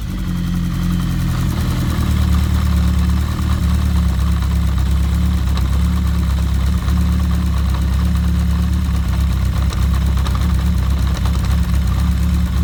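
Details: Kawasaki GPz750 Turbo at idle: steady low idle with a faint, even ticking rattle on top, cam chain noise.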